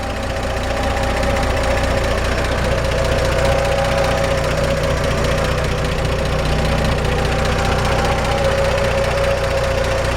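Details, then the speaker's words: 1947 Chevrolet 3100 pickup, solid-lifter 216 six, 12-volt conversion, rebuild date unknown, at idle: even light top-end ticking over smooth steady idle, the expected solid-lifter clatter of a great-running engine. Normal. "Great running engine. I don't know when the last time it was rebuilt. We really didn't want to mess with it. It's beautiful. This is the sound we're looking for in a solid lifter 216."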